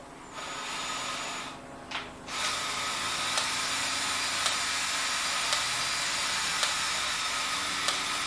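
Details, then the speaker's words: 1967 VW Beetle speedometer on the bench, spun by drill via greased original VW cable: steady drill drone with a click about once a second, but the odometer isn't turning; head needs opening up. "it sounds like it's turning the odometer but the odometer isn't turning so of course we're gonna have to operate"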